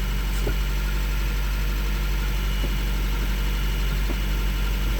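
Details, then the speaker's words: 1987 Citroën BX with engine idling, car sinking overnight: faint sharp clicks every second or so over steady idle as the regulator cuts in too often to recharge a worn, knackered hydraulic accumulator sphere that won't hold charge. "But because the accumulator sphere is basically knackered, and therefore the charge isn't staying in it for very long, it means that even when it is running, if I say do this, you might be able to hear"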